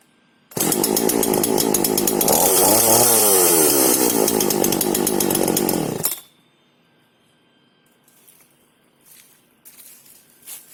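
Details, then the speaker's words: FK136 Italian petrol chainsaw, one of three identical saws, shown as a proper start: catches straight away, revs smooth and strong about five seconds, then shuts off cleanly; normal start and run. "Теперь я вам покажу, как должна запускаться настоящая итальянская пила."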